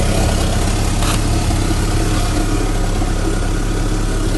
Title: 2004 Mitsubishi Lancer Ralliart - Magnaflow Axle Back Exhaust Leak